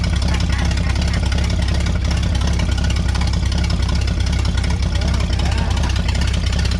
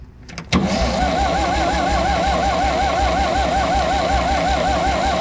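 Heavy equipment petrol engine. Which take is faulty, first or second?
second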